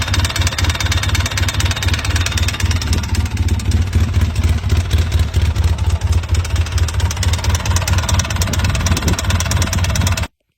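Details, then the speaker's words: Polaris Sportsman 800, about 5,000–6,000 miles, ingested dirt: hollow, rattly, uneven knock at about three to four per second over low idle; piston slap from a badly scored piston skirt and worn cylinder. "As you can see, piston's been slapping. That was our noise."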